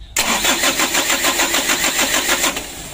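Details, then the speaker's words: Mitsubishi Canter diesel truck, hard-starting, being worked on at the roadside: starter cranks steadily for over two seconds, even with full throttle, but the engine never fires; owner also suspects a faulty ignition switch; cranks but will not start. "Coba ya kita starter berkali-kali di gas eh mentok bekas tinggi juga tidak mau hidup"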